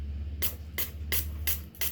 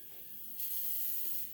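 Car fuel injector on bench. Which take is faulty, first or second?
second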